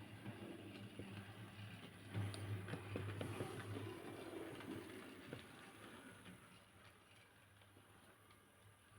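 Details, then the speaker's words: Model railway: small electric locomotive motor hums low while wagons clatter in quick, uneven rattles; owner attributes it to couplings and one wagon rattling, cause unclear. "I'm not sure if you can hear the rattling sound but that's just couplings and all this this wagon some reason it's rattling at the moment"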